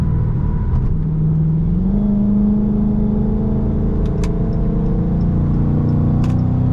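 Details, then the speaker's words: Chrysler 300 driving after installing a 3.09 Mopar limited-slip differential: faint steady whine rising slightly in pitch with road speed over tyre and road rumble; drivetrain whine of unknown cause. "I'm hearing like a whne noise I don't know if y'all hear that let me know in the comments if y'all can hear that noise that I'm hearing it's like a slight whine"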